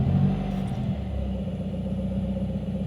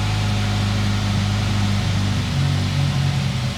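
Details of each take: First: 2018 Subaru WRX after vacuum leak repair and ECU reflash: even, smooth idle with a brief light blip of revs, no stumble or hunting; normal idle. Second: 2018 Subaru WRX on a true cold start after intake and intercooler reassembly during a vacuum-leak hunt (AF learning near -30): it runs a few seconds with a low drone, then sags and stalls; owner suspects an unplugged connector.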